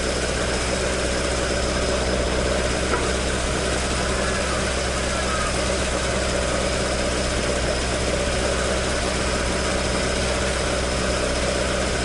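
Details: Toyota AE86 with 4A-G engine idling after an exhaust leak repair, restored to the stock exhaust note: steady, even idle with a smooth deep tone, no puffing or ticking; exhaust sealed and healthy.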